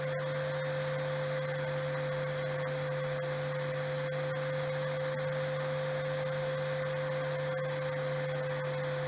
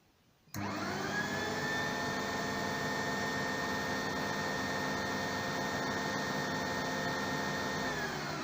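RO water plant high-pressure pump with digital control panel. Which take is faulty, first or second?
second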